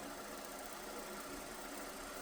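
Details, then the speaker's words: Steady, harsh grinding hiss from a small spinning device: the lower bearing sits in the groove of the other bearing so the balls touch and grind; loud bearing grinding noise. "Yeah, it's loud, but that's just because this bearing on the bottom is uh in the groove of the other bearing. So, it's like the balls are are touching. Got it. So it's just like you're grinding."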